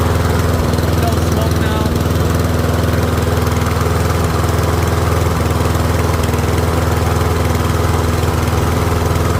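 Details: Troy-Bilt rear-wheel-drive mower with Briggs & Stratton Professional engine, after ultrasonic carb clean: steady, even single-cylinder chug at constant speed, no misses or surging; pretty quiet, running cleanly for about 5 minutes until fuel runs low.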